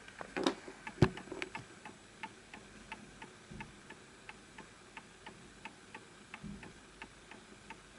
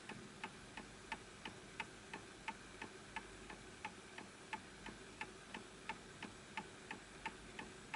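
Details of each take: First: Antique Enfield Westminster chime mantel clock, fully wound; soft ticks about a hundred a minute with uneven spacing between tick and tock, pendulum misaligned and needing a nudge and level surface: clock out of beat. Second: Antique Enfield Westminster chime mantel clock, pendulum adjusted to the level surface: crisp ticks about 88 a minute, perfectly evenly spaced; clock in beat.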